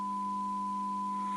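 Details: Audio amplifier bad channel fed an audio generator test tone, bridged via 0.5 uF nonpolarized capacitor to the good channel, phono section: clean, steady high tone with faint low hum underneath; signal path passes properly up to this point.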